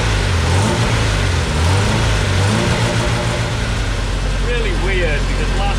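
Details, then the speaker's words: Homemade race car with a 20-year-old replacement engine, not starting after fuel pump replacement: catches on starting fluid, revs unevenly then sags; owner suspects not enough fuel; small leak at new pump. "okay so a good way to check if there's enough fuel is put in a little bit of a starter floor"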